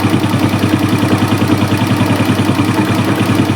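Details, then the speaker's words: Hot Suzuki Smash motorcycle that smokes and runs rough when hot, held above 1000 rpm: uneven idle at about three hollow, chuffing pulses a second, running lean; compression leak, exhaust black, cylinder liner badly scored. "Nah, ini kalau udah mencelak begini udah keiritan ini mau nembak dia, keiritan ini. Nah, mesin maunya di segini ya. Ini bocor, ini ada kompresi bocor."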